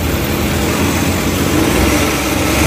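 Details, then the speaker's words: Suzuki Transformer K6A fuel-injected engine idling in neutral after throttle body cleaning and oil change: a steady, even hum with no misses, hunting or surging; a smooth, normal idle. "so okay yung tira natin guys."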